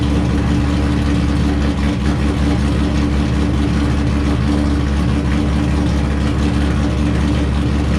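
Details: Wrecked C5 Corvette Z06, run in gear with clutch out to test transmission and diff; steady even drone and low hum, no grinding, clicking or binding: drivetrain spinning smoothly.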